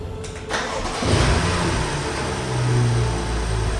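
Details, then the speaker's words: Cheap used BMW M Package after fitting a sensor held in with a zip tie: the starter catches quickly and the engine settles into a steady, even rumble with a light intake whistle; a healthy start. "That sounds really good. That sounds really good."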